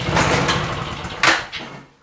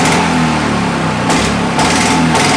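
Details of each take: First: Discarded, neglected Victa Mustang 20 two-stroke lawnmower, fuel flowing, primed three times, throttle mid, pull start: a few ragged coughs and pops, then fades to nothing; sputters but won't keep running. Carburetor later pulled. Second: Victa Mustang 20 two-stroke lawnmower after replacing the manifold O-rings and fixing a cracked manifold with a missing inlet O-ring: catches after a brief stumble, then holds a sharp, steady, even buzz; runs really nice.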